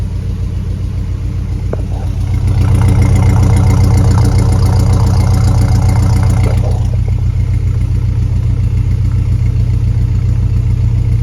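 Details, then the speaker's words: Jeep Grand Wagoneer with Hemi V8 swap, just started, fired quickly, runs smooth: deep idle with fast even puffing tick from exhaust leaks; exhaust louder, residue expected to burn off. "The exhaust is louder. I expect some residual to burn off. I expect that. I mean, this motor is smooth as silk. I mean, it just... I know I got some exhaust leaks I can hear."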